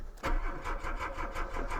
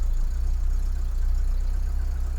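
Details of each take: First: Mk2 VW Golf with Weber carburettor and mechanical fuel pump, first start after months sitting through an Irish winter, booster pack on; steady cranking at about five or six turns a second without firing, owner suspects dry float bowl slowly refilling. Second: Mk2 VW Golf with Weber carburettor and mechanical fuel pump, just started after months sitting and a long dry crank; cold engine ticking over on choke, fast slightly uneven idle, no knocking or misses; normal.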